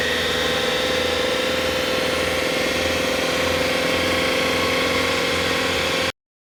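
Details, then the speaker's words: Car with a CVT transmission and a damaged drive belt: engine running steadily with a thin whine on top and an even, rapid pulsing, the noise given as typical of a damaged CVT belt. "También en los vehículos que tienen transmisión CBT, al momento de que la correa de esta transmisión está dañada, se puede escuchar algo así."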